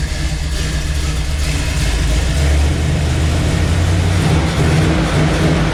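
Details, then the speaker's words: Chevelle V8 with its intake resealed and new mufflers fitted, idling: a deep, steady, lopey idle with no ticks or misses; normal, healthy idle. "definitely sounds proper now sounds like it looks now so super happy with that"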